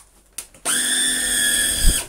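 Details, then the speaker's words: Shark vacuum cleaner switched on; only a thin, steady high whine from the brushroll in the powered head, with no suction roar. The main suction motor is dead. "yeah oh excellent that's our first deadpod if you remember i think i have done a video where many motors explodes itself and kills it doesn't turn anymore that motive is dead but there's still power to the head so this one is a very good body but a dead motor"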